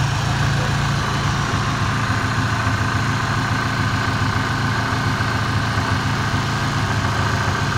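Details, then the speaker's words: Ford Ranger idling steady after startup, with an occasional few revs right at start: an even low rumble with no knocks, misses or surges. Oil clean; antifreeze leaking from a bad radiator cap. "Oil's good and clean. I mean, she's running like a dream. I mean, sit here and listen to it idle. Runs perfect."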